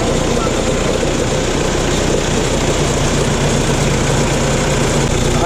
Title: rattling sound sa engine bay/ #rattling #hyundai #starex